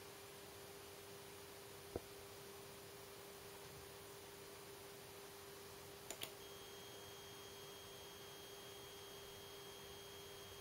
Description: LG LED monitor E2260S making annoying buzzing sounds